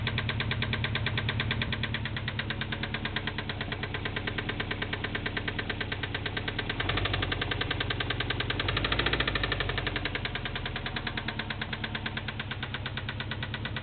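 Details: 2002 Subaru Impreza WRX: a deep steady rod knock under the idle, louder on a light rev, after oil starvation while running Mobil 1 synthetic 5W-30.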